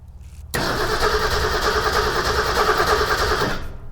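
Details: 1961 Ford Econoline van sat over 30 years: steady, even starter cranking for three seconds with no firing at all; no spark because the points wires and condenser had not been connected.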